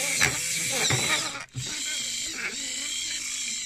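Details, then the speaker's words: InMoov robot bicep servo driving a 3D-printed worm gear, modified servo on Arduino: high strained motor whine with rough grating that drops out and restarts; worm gear binding and grinding, screws suspected touching, to be filed. "now, there's something binding going on. It's really grinding in here, and I've looked carefully at it, and I still think it's these screws down here."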